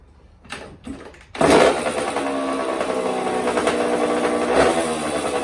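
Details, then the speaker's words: 1984 Honda CR60R two-stroke dirt bike after carb clean, air screw set one turn out and needle clip lowered one position: fires after a couple of kicks and settles into a steady, crisp, even idle; normal running. "so yeah you can't get yours running right just check the air screw mix and then uh you can mess with the needle clip position and that will help"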